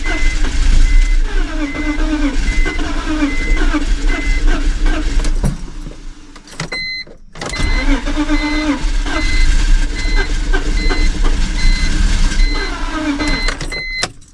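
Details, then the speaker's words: BMW project car that had been sitting but used to run when parked; long steady cranking with brief pauses, engine never fires, fuel smell; owner suspects it isn't getting enough fuel. Extended cranking, no start. "so I just was like well let me stop being scared and just [ __ ] sit here and crank it and it was getting there like it was almost running"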